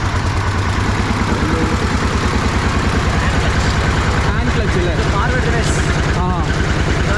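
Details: 1960s DT-14 tractor, single-cylinder diesel, cold start after 10 years: slow, even thumping about three beats a second, steady and regular; idling healthily after revival, normal idle.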